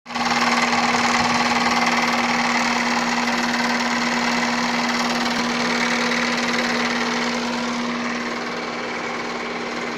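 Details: Opel Astra with Z16XER engine at idle: fast, steady rattly ticking over a constant hum, unchanged in pace; knocking air-conditioning compressor.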